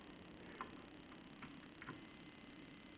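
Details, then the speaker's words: Cuisinart CBK-200 bread maker buzzer, screw placed on it to quiet it: in a quiet room, one high, thin, soft damped beep about a second long; buzzer works but muffled. "if you remove it you will see i put a screw on it to make it quieter because i don't want to mess with the electronics and really it's just it just works"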